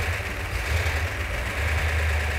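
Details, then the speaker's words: 1971 Plymouth Cuda 440 six-barrel V8 with ballast resistor ignition, after returning from metal repair: steady low burble, even unbroken rhythm, no knocks or misses, quieting as it runs; normal idle. "get quieter sounds good the engine sounds every bit as good as it did when it was on the engine runs down that's fantastic"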